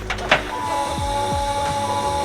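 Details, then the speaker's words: LS-swapped Nissan Z32 first start after sitting over a year: two steady mid-pitched electrical tones hum about two seconds under dull thumps; electrical buzz, owner suspects loose wires, cause unconfirmed. "seems as if this car has had some new electrical Gremlins pop up as it's been sitting here for over a year"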